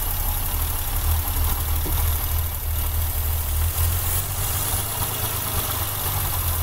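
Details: BMW M20 engine with a low, uneven, loping rough idle and a faint hiss; carb cleaner is sprayed at a spot below and it can be heard sucking, suggesting an air leak.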